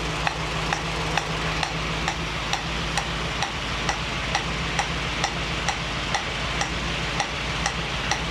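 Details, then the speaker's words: 1965 Mustang GT Convertible running after installing a Tuff Stuff 7068K 140 A alternator, fan on: a new steady sizzling hiss with a light tick about twice a second, seemingly from the carburetor; source unclear. "so that's a new sound it sounds like it's coming out of the H carburetor"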